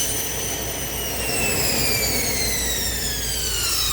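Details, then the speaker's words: 2016 Volvo XC90 blower motor that had failed to operate (faulty CCM, missing LIN bus signal woken with test light), now running at full speed: strong airflow rush with clean whine falling smoothly as fan spins down, no rubbing; healthy blower. "And you can see now fan is turning, right? You can hear it. And uh let's turn it to full speed. It's going to be loud, but let's see."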